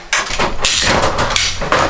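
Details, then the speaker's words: Garza County Health Clinic flush-valve (tankless) toilet pipework: sharp bangs and rattling surges each time the flush valve shuts off, classic water hammer. "so I like once again once that thing shuts off its gonna make that hammer go for me to stop it and it is way up there"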